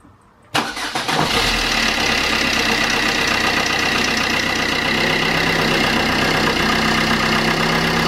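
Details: Vauxhall Corsa C 1.3 CDTI diesel after a full service: oil and oil filter, fuel filter, cleaned intake, and a new gasket on the intercooler-to-manifold pipe. Cranks and catches quickly, then a steady, even diesel idle with no knocks or misses; normal idle.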